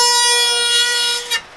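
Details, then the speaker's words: 1969 Ford Capri barn find during restoration: strong steady two-tone horn blare over a second, then cutting off, likened to an old church; horn sounds full and works properly. "yep that's a good sound is good sound sounds like an old church"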